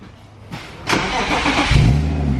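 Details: BMW E36 M3 drift school car, first start after the intake was put back together: a short crank, then the engine catches in under two seconds and settles into a steady, even idle with no odd noises; normal engine start.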